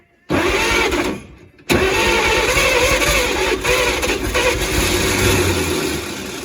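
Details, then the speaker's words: 1938 Chevrolet Master Deluxe revival after about 50 years, wiring just found with polarity backwards, starting fluid used; a short crank, a pause, then it catches and runs ragged. Owner suspects flooding. "does she need more coconut food like starting food at the same time I think I might be flooding it"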